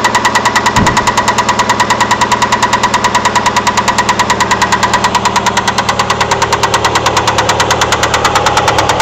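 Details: Engine at idle with a sharp, regular knock about three per second, loud and even; owner suspects a rod bearing, unconfirmed.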